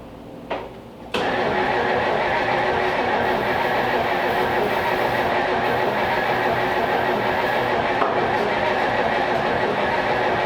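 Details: Small-block Chevy V8 in a 1934 Ford Tudor, stored 50 years, started with the carb bowl filled by hand: it catches into a steady but lumpy, uneven idle; they suspect worn points or wonky ignition wiring.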